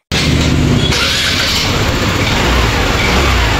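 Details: TVS Jupiter 110 cc BS6 scooter with rat-chewed wiring repaired and a new spark plug fitted: a strong, even engine note with no stumbles or cut-outs as it revs. The misfire and cut-off are cured.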